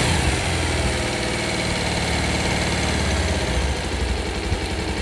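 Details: Bajaj Pulsar single-cylinder bike after piston ring installation for an engine sound problem: steady, even thump at idle with no knock or tapping; normal, healthy running.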